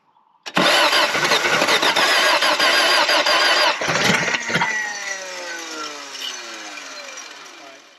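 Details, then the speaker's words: 1979 Toyota first-gen 4x4 pickup with built engine, sat for years, fuel added: loud starter whirr about three seconds, then catches into a rough, falling idle; doesn't run quite like a normal one. "i don't know if you can hear me but she runs and that surprises the heck out of me but it's a toyota so that's what we get"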